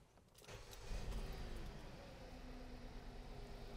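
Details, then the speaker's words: 2017 Hyundai Sonata with P0304 misfire code stored, just started: rough uneven idle missing on one cylinder, misfire increasing under load; almost sure spark plugs will fix it. "we do have a misfire right now and it definitely increases under load"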